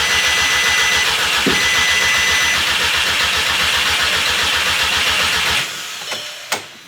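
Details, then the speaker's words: Crank-no-start on an MK6 GTI with its replacement engine just installed: an even starter crank of about four beats a second for five seconds never catches, then stops. The immobilizer-active code is still showing after locking and unlocking with the key, and fuel can be smelled. "Still got the crank. No start. I'm smelling fuel though. I tell you that much."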